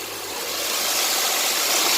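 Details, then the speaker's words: Honda/Acura J-series V6 (3.2/3.5L), about 67,000 miles, after replacing the timing belt hydraulic tensioner: smooth engine hiss rising with light throttle, the previous rattle gone. "and i have my dead accelerating a little bit you can hear there's no more noise"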